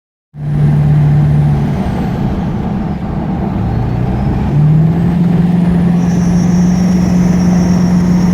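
Loud steady whine that steps up in pitch as the vehicle speeds up, over a heavy low drone; source unknown.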